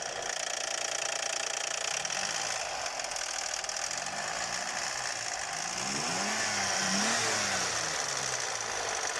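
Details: 1999 Lexus RX300 V6 just after start-up: sharp, uneven tapping about three per second over the idle, thought to come from the cylinder head; knock lessens as the engine warms. Cause suspected, not confirmed.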